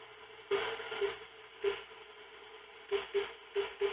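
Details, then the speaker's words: YMAO 6699 cheap SDR-based CB/HF general-coverage receiver on AM: a quiet hiss broken by sharp crackling bursts, about eight in four seconds. The noisy spots sound like extra background noise, and their source is unknown; an antenna-off test was tried. ">> But what's the noisy spots you keep getting? >> I don't know. Something just sounds like more background noise."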